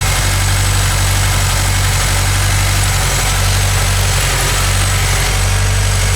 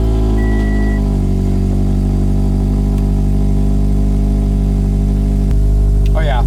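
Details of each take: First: Scion FR-S with codes P0302 and P219A: lumpy uneven idle with irregular stumbling beat, cylinder 2 misfiring from a failed ignition coil pack. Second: Scion FR-S after replacing all ignition coil packs for codes P0302 and P219A: steady, even idle with smooth low hum, no stumbles or skipped beats; misfire gone, running cleanly on all cylinders.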